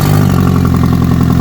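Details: Rare ABT Audi TT after new cambelt and fuel system flush, running on old fuel after years sitting, in neutral: steady idle with a sharp even puffing tick on each firing pulse, loud and raspy at the joint; exhaust leak, engine otherwise sounds lovely.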